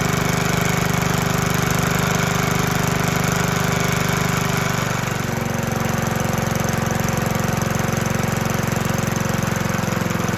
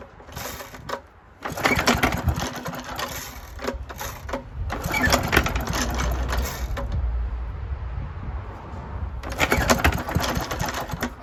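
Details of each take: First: 1972 Hayterette mower, very worn, hard starting, stored six-seven months, fresh fuel, cold: single-cylinder engine runs steady and strong at governed speed with no misses once started. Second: 1972 Hayterette mower, very worn, with hundreds of hours cutting a paddock last year; cold start after sitting six to seven months. Several rough recoil pulls sputter without catching: hard starting.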